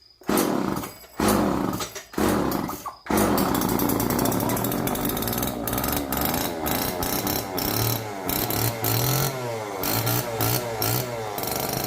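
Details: Old neglected Homelite chainsaw, previously seized and left outdoors, first start on fresh race-fuel mix without bar and chain: catches after a few pulls, crisp two-stroke revs rising and falling smoothly, no misses; sounds healthy.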